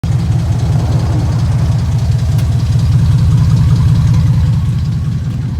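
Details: 2002 Dodge Ram 4.7 at idle, before repair: fast, uneven rattle about four a second underneath; worn timing chains, guides and tensioners, fixed by replacing all timing components.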